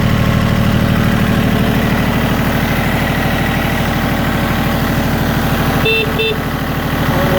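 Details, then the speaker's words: Yanmar YM1820D compact 4x4 tractor, three-cylinder 23 hp diesel: starts right up, no smoke, even steady chug at idle with regular firing and no stumble or misfire; normal diesel idle. "you see it starts right up no smoked sounds really nice engine doesn't miss or misfire"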